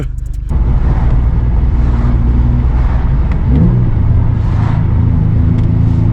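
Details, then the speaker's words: Infiniti G37 driving on a freezing day: deep engine rumble with uneven surge, jerking instead of pulling smoothly, car going into limp mode; VVEL module code read, VVEL module suspected faulty, not confirmed. "I know you guys can hear that it's jerking. It's jerking like some jerk chicken, man."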